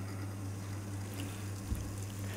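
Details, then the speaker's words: Espresso machine rotary pump, typical of pricier models: low, even hum with a soft purr, clearly quieter than a vibration pump, steady with no rattle or buzz; normal. "leiser und es ist toll es ist so ein schnurren ich finde es gibt so eine schöne schönen ton bei der berührung"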